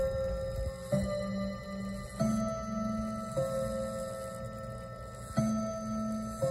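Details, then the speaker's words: Seth Thomas Westminster chime clock, circa 1980, first test moving hand past 30: slow sequence of clear bell notes, each struck cleanly with even lingering decay; healthy Westminster chime. "Wow, it has a really nice chime sound to it."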